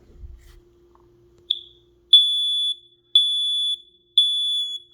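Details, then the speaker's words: Kidde i9060 smoke alarm made March 2014: three long, steady, shrill test beeps about a second apart after a tap, pitch higher than normal; weak battery suspected. "Ooh. That's weird. It's a bit of a higher pitch. Listen."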